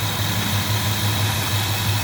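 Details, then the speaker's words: 1965 Chrysler 413 Wedge V8, warmed up (about 146-147° on thermostat), after new points, condenser, cap and timing set by ear and rpm: deep, steady idle with even low throb, no misses or knocks; normal idle. "I think they did the trick rather easy so a really nice Performance Engine"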